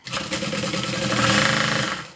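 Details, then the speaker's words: Sewing machine running up and slowing down with a fast, regular mechanical tapping and rattle over the motor hum; a loose part inside is knocking. "you hear that knocking? That's what's loose."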